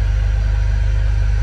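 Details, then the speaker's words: Jeep Rubicon with suspected rod knock at 1,700 miles, after sitting cold overnight: slow to start but idles with a steady low rumble, no knocking or clicking, and holds oil pressure. "I don't like how long it took the start and how we can sounded but it's running and it's not knocking and it's not clicking"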